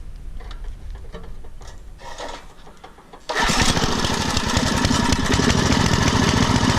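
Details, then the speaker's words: Poulan/Weed Eater garden tiller with a 5HP Briggs & Stratton engine, over 15 years old and unused for over a year, just started and warming up before its tune-up: a rough, wandering beat that revs up and down at idle. The tune-up, including a carburettor mixture screw adjustment, later fixed it. "it kind of does this revving up and down a bit let's see if the tuneup will help it"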